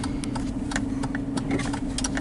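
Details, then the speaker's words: Hemi, warmed up, rolling slowly: sharp light ticks about six per second over low engine rumble; tick began only after an aftermarket exhaust was fitted, never with stock exhaust; exhaust leak or Hemi tick suspected, unconfirmed. "it's uh it's um like you can hear it now it's that ticking noise right there and i that that crap is driving me crazy ever since i heard it"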